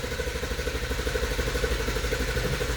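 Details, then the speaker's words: 2014 Infiniti Q50 with code P0340 and intake valve timing PID for Bank 1 reading -17; camshaft sensor already replaced: rhythmic cranking at about three pulses a second, never catching; crank, no start, timing issue suspected. "doesn't want to start listen again"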